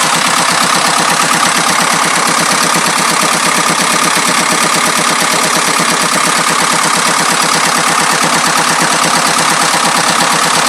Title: 2.25d rattling noise